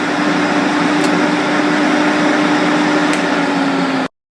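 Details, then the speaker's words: Santa Fe Advance2 dehumidifier after defrost thermostat replacement, fan on and humidity knob turned up: low, constant compressor hum with steady mid tone, no rattles or cycling, until it cuts off; runs smoothly, thermostat was the fault. "listen for the compressor Turn on again you you should hear a a low humming sound"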